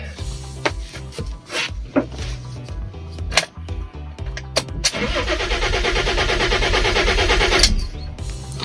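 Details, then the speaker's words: Rare, neglected Fiat Stilo Abarth 5-cylinder Schumacher edition: starter cranks steadily for a few seconds but never fires; fault code shows defective RPM (crankshaft position) sensor, owner had suspected the fuel pump. "of course it's not starting. The RPM sensor is defective."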